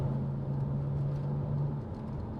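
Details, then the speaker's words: BMW 335i N54 after DIY MFactory 1.5-way LSD differential install, driving at cruising speed: steady low cabin drone with only cup holders rattling, no rear differential whine. "And all I can hear is my cup holders rattling. I think we're good."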